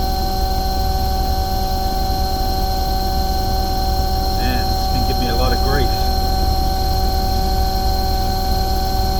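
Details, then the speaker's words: Omni/Econo Heat/Morrheat waste oil heater burner after cleaning and nozzle service: steady roaring flame with constant fan hum; burner smoking, owner hopes it is oil built up in the chamber burning off within 10-15 minutes. "so it's hard to know whether this burn is smoking because excessively because it's oil been built up inside the chamber which is probably what I'm hoping it is"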